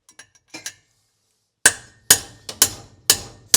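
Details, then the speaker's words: Mercedes 300SL Gullwing cylinder head, valve seat tap test: about six sharp clear metallic taps ringing crisply and dying evenly, more positive than the loose ones; valve seat solid and tight. "You hear that? It's so much more positive."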